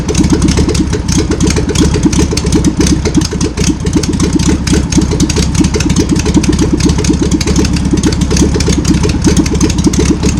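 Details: VW pressed-bumper bus engine sat over 50 years, run after freeing with spray and fuel added; fuel pump suspected bad. Old air-cooled flat-four idles with busy, slightly uneven clatter, running steadily on its own; untuned.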